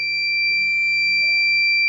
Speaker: you can hear the buzzer beeping that fire is detected